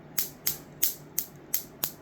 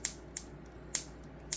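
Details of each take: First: Capacitor-dump circuit charging an AGM battery through a 400 V 10 µF capacitor: sharp, crisp ticks about three a second; the wire can be felt vibrating with each pulse. The circuit fires steadily but battery charging is slow, cause unknown; owner wonders if the battery type is wrong. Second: Unoptimized cap-dump circuit (high-voltage module, neon as switch) pulsing into a battery, about 1.3–1.4 W draw, inverter off: crisp snaps roughly every half second; discharge output works, but battery charges very slowly and inverter drains it; normal discharge clicks.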